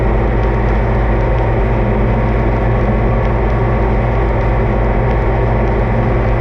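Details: Oliver 2255 front-wheel-assist diesel tractor running on a test run after service (engine oil, transfer case, front axle, rear end and hydraulic oil changed); steady, even deep rumble with no knocks or misses, normal running, judged in good shape.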